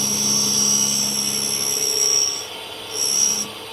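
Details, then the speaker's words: Tool grinder test grinding flats on an HSS spade drill at about 1.5 thou infeed: steady high whine with light hissing contact on each pass, barely removing material; grinding wheel cutting poorly. "So, as you can hear, it's engaging the wheel a bit, but it's just not taking a lot of material off. On the second movement, it's taking nearly as much as the first."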